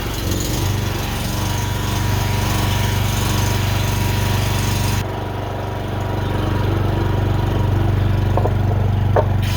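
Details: Honda generator that would not start, after carb cleaning, fresh fuel and oil change, started with choke on; steady, even engine hum at constant speed, no surging, misses or stumbling.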